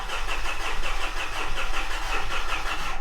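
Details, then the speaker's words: A 2013 Mitsubishi Fuso FG with the 4P10 diesel cranks at about six even pulses a second but never fires. It is a no-start, being diagnosed by swapping the EGT, SCR and DPF differential pressure sensors and the electric fuel pump. "thanks for tuning in and welcome back to the shop this is our 2013 Mitsubishi Fu FG and it is refusing to"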